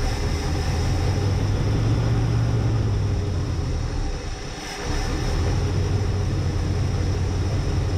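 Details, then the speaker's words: Barn-find Lincoln Mark III V8, parked for decades, just revived, bad accelerator pump: steady even low rumble at idle with no misses or knocks; engine sounds healthy. "Aw, oh, that's awesome. Thing sounds real nice for sitting for over 40, for almost 40 years."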